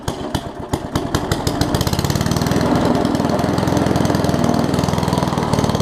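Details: Murray push mower with Briggs Classic engine after gas tank swap and oil top-off, governor spring appears missing: slow, loping single-cylinder beat settling to low, uneven idle; governor not holding speed.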